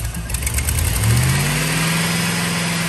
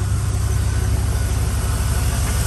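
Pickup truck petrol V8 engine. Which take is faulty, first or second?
first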